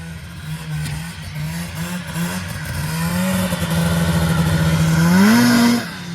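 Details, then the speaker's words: 1980 Yamaha Exciter snowmobile, revived after sitting 19 years, run in the yard on first snow: two-stroke buzz climbs and settles smoothly as throttle is worked, pulling clean to high revs; normal healthy engine revving. "got to get one out and rip it in the yard a little bit so sounds all right yeah sounds good man"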